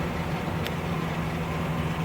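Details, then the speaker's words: 2005 Ford Explorer, code P0190 and 14 codes stored: low uneven engine rumble at barely 600 rpm, struggling to stay running; rough idle caused by dark gunk keeping the throttle plate from closing fully, throttle body then cleaned. "the dark gunk under there is not allowing for the throttle plate to close fully. That's why the idle's running rough."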